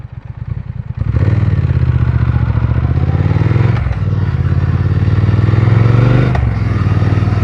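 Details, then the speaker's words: 2020 Triumph Speed Twin 1200, stock, after bad stalling idle, refuelled with injector cleaner added, helmet and pocket mics: steady, even low thump at idle with a couple of brief dips, holds a smooth idle; normal. "Oh, I just started it, as you guys saw. It was kind of normal. The idling was pretty good."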